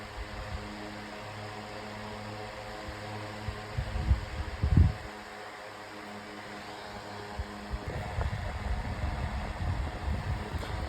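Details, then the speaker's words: 9-inch Airtek high-velocity fan switched to medium: steady whooshing hum, pitch rising as speed steps up, louder but even; normal fan running. "It's going a lot faster on medium this time. Pretty I'm I'm surprised."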